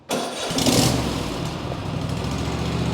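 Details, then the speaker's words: Craftsman T240 lawn tractor small engine cold start with the choke lever held fully up, then idle brought down: short crank catches instantly and settles into a steady, even idle, clean healthy start. "make sure that we're up in the choke position all the way up and I'm going to hold it there and as soon as I hit crank it'll start and I'm going to bring down the idle"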